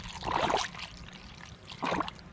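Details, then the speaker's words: 2020 Polaris RZR Highlifter 1000 XP, cleaned radiator refilled with Engine Ice coolant before bleeding at 8 mm bleeder screw; soft gurgling and trickling with bursts of bubbling as trapped air escapes during fill. "take your time with it because you're going to get all kinds of bubbles as you can hear"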